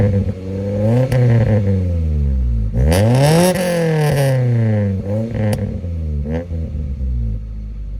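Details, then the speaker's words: Honda Civic EK hatch just after a Y8 exhaust manifold (header) swap with Fel-Pro gaskets: repeated revs with a raspy, buzzy exhaust note, as expected from the fresh header; smoke from the new header. "like I expected, it sounds a little raspy."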